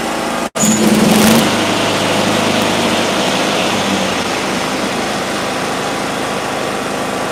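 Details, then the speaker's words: Mower engine in an ignition coil air-gap test, flooded from failed start attempts at a 0.055 in gap, now set to 0.054 in: sharp backfire bang as it catches, then steady fairly fast idle; 0.055 found to be the max gap. "Oh, how'd you like that little backfire? That's because it was so flooded from us trying to start it at 55."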